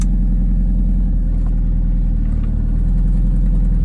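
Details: 1998 MGF VVC idling: quick ticking about four per second with puffing edge, plus squeal; low oil topped up with 10W40 didn't help; exhaust manifold leak, tightening bolts cured squeal and reduced ticking.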